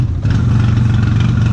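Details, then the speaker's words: Polaris X2 UTV at Gator Run off-road park, neglected and not ridden in a long time; uneven, stumbling, lumpy low idle, coughing and not firing cleanly, likened to a Model T; rough running, cause not confirmed. "X2's coughing up a storm over here. It hasn't been rode in a long time because I bought that new one, so that's what I've been riding."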